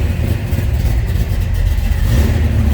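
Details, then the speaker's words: 1969 Chevrolet Camaro Z28, built 396 big-block V8 with under 2,000 miles, 4-speed manual, just after a cold start: deep even rumble rising with throttle, no knocks or ticks; healthy, warming up. "That was a cold start, so we're going to let this warm up just a little bit."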